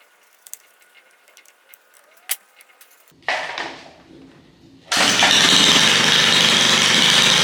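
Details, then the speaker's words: Small engine started after replacing the carburetor primer bulb and leak check, fuel in tank: a few light clicks, one pull, catches first pull and settles into steady even run; normal start. "Start up on the first pull. I'm not complaining about that."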